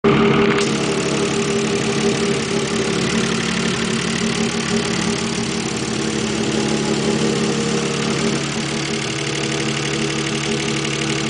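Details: Mazda K8 engine idling with loud uneven knocking, about four per second, which began after removing left camshafts to change a retainer; owner believes belt timing correct, tensioner fine. Engine knocking at idle, cause unknown.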